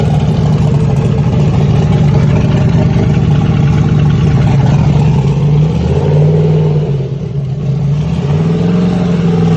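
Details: Texas Speed engine in Ruby, run with aggressive timing that burned the spark plugs: cold start the next day gives a rough, uneven idle with a dull clatter under the exhaust drone that sounded fine when hot; melted pistons.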